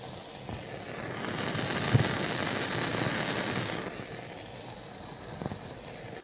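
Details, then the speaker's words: JVC VN-300 amplifier, volume around 2, on all inputs: steady hissing static with fine crackle from the speakers; noisy tone-control 2SC458 and main-board 2SC711 transistors, later replaced with 2SC1815 and BC548. "i turned it on then this was the static noise i was getting coming out of the speakers"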